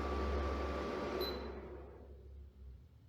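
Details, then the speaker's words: Germanica portable induction cooker, odd fan behaviour: fan comes on when the cooker is turned off and stops when turned on; a steady fan hiss carries on then winds down and fades out after switch-off. "I turn it off the fan comes on on I turn it on the fan turns off that that makes no sense"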